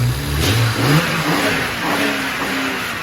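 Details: BMW 335 engine revved after a fresh coil pack was fitted to cure a misfire: blips up and settles back cleanly, pulling smoothly without stumbles or popping, firing evenly on all cylinders.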